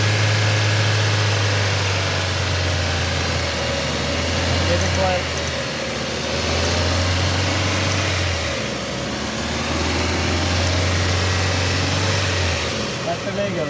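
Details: 2017 Toyota Corolla after replacing the faulty ignition coil that caused misfire: steady low hum that holds even with no stumbles, misses or uneven pulses; engine now running clean and smooth.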